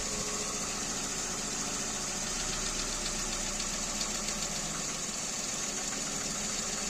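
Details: Kia Rio 2 with a G4EE engine, running with a sharp metallic tapping over the idle, fairly quick and a bit uneven; an internal engine knock, cause unclear.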